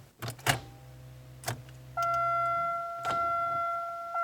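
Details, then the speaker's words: 1999 Pontiac Grand Am cranking: a click, short weak whir that dies out over the chime, like it's choking; starter going out, later died, tapping it got it started. Failing starter motor. "basically it just seemed like it was choking but listen here it's kind of a click and then it stops"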